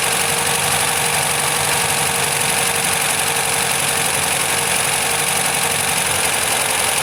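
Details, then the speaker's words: MGB GT with rebuilt carbs reset using a colour tune and all electrics changed: steady idle with an occasional stumble in the beat, rough but running; misfire at idle persists, cause unknown. "So it's just gonna, it doesn't sound any better, does it? So we've definitely got some issue somewhere. It seems to miss, but we've changed all the electrics, we've set it up carb-wise."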